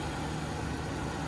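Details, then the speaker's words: 5.0 V8 / 5.0 supercharged during a timing chain and guide check, cold start: a smooth, even idle with only light valvetrain and injector tick and no chain rattle, slap, hiss or clack, a normal idle. "So right there, that was a nice quick little cold start. No chain noise, slapping, hissing, clacking."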